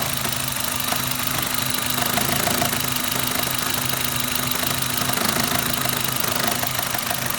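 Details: Suzuki Ignis M13A four-cylinder idling with a quick, light tapping knock near three a second, slightly irregular against the hum; engine knock, cause not pinned down.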